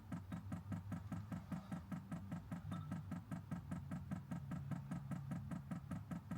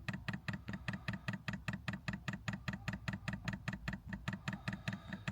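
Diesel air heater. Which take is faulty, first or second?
second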